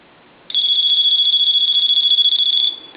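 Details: Dolphin telephone after repair for background hum and low volume, final checkout: one clean two-second ring burst, bright fast-warbling high tone, steady and strong with no hum; ringer working properly.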